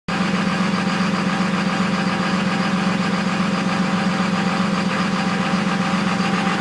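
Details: Rough idle on a 2002 Cummins 24-valve diesel: steady drone with an uneven, loping pulse about two or three times a second; cause not evident.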